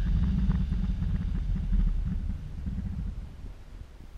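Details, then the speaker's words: Electric-converted BMW 320i, motor and transmission spinning rear wheels in fourth gear: rapid knocking about four per second over low drivetrain rumble as steep regen slows it; backlash in motor adapter splines banging. "You hear the banging when I bring the regen in because the motor motor's turning it back against the rebirth adapter, and the slot that's in the splines is banging."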